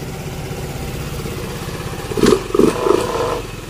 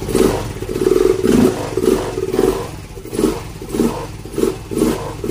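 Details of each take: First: Yamaha Mio M3 scooter, dead for a year, after injector and fuel filter replacement: engine ticks over evenly with a steady putter and a few throttle blips, idle holding at about 1617 rpm on the diagnostic tool. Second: Yamaha Mio M3 scooter, idle for a year, after new injector and fuel filter: engine revs in rhythmic bursts about once a second but dies when the throttle is released, no idle; dirty throttle body.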